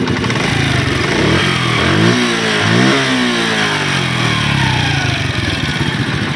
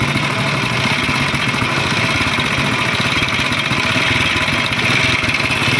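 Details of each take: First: Honda CD 70 motorcycle engine after fitting a complete new timing chain and roller set: small revs settle to a steady, even beat, and the earlier top-end rattle is gone; it runs normally. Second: Honda CD 70 single-cylinder motorcycle idling before repair, with constant metallic chatter riding over the beat from the engine; timing chain and tensioner roller rattle.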